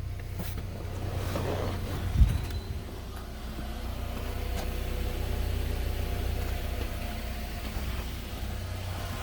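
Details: 2011 Nissan Altima, 221,000 miles, after valve cover, spark plug and coil replacement fixing P0303 misfire from oil leaking past cracked valve cover: low, even, steady idle hum, no stumbles, no check engine light; smooth healthy idle.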